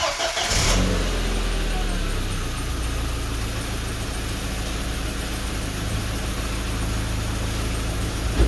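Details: 2003 Audi A4 1.8T (B6) petrol, after a fuel injector replacement: starts quickly and settles into a smooth, even idle with no stumble or skipped beats.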